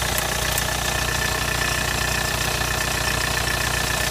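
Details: 2001 VW Polo 6N2 SDI diesel at idle: crisp, regular tick about three times a second over the diesel clatter, steady throughout; source not yet pinned down.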